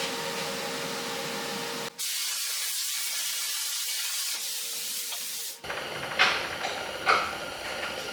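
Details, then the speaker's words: Budget 40 A plasma cutter at the 40 amp setting on plate after 30 A needed two passes: steady, even high hiss of the arc with no sputtering, cutting right through; normal plasma cutting. "the 40 amp setting I really had no trouble at all except for I uh I slipped a little bit and if you could see that but no trouble at all just FES right through it"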